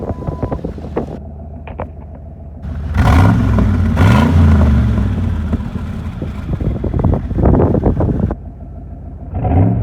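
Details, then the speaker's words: Rebuilt engine after first start, idle reading rich (about 11.1:1) on driver's side, cause unknown: deep, steady idle rumble then a couple of clean blips rising and falling smoothly; normal revving. "Some reason that idle is rich on the driver's side. I'm not sure why."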